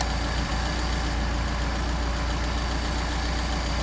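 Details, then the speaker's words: Engine on Solex carburetors during airflow synchronization, idle set to about 750 rpm after screw adjustments; smooth, even low hum at steady speed with no misses or knocks, normal clean idle. "5 and 1/2. 5 and 1/2. Now we're at about 750."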